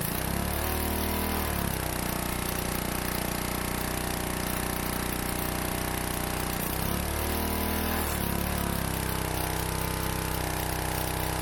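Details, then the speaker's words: Pressure washer small engine, stored about 15 years, running after first start while spraying: steady run with brief dips and recoveries under spray load, firing evenly; spray gun leaks; normal running. "yes we got it that is awesome this thing hasn't run in like 15 years that's fantastic"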